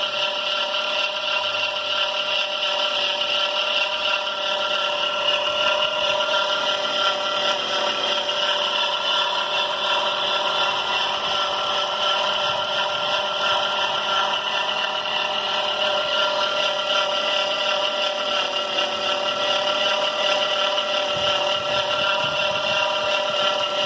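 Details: 2005 Caravan, steady shrill belt squeal and chirp over the running engine from the noisy serpentine belt; baby powder on the belt has not fixed it so far.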